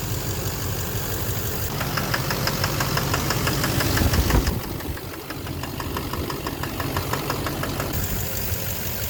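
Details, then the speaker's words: 2009 Chevrolet Duramax LMM dually diesel, 59,945 miles, idling in Drive on the brake after injector cleaner and cetane: sharp steady ticking knock about three a second, less than before; owner traces it to the #5 injector; injector knock. "okay I'll put on the brake a little bit of knock I got okay Oh a little bit of a knock but did this it's very cool not nearly as bad"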